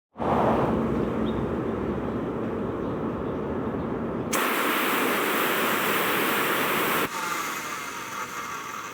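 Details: Peugeot 307 2.0 running with a rough, gritty rushing noise over the engine from a worn accessory belt idler pulley bearing.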